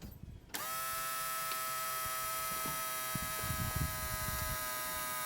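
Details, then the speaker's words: ASV PT-100 track loader after it stopped running; new electric fuel lift pump with outlet disconnected into a jar, key on: steady even high buzz with faint clicks, pumping air then pulling fuel; normal priming. "um you can hear the pump running hopefully you can hear that don't have any yeah it's pumping air out right now there it goes you hear the pump just pulled up some fuel"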